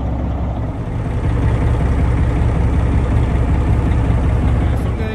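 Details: 1987 GMC General converted RV, diesel idling after the front drive axle air brake relay was replaced. Even, steady rumble with a regular beat and no audible air leak after 3–4 minutes; air pressure builds quickly.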